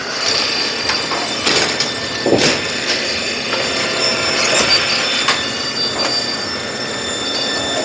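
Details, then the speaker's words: Brunswick A2 bowling pinsetter after cycle solenoid linkage adjustment and tightening (previously wouldn't cycle unless plunger pushed up): metallic clanks and rattles with a short squeal through a full cycle; normal, healthy cycle after repair. "everything's tight we're good to go turn it back on and cycle it through again"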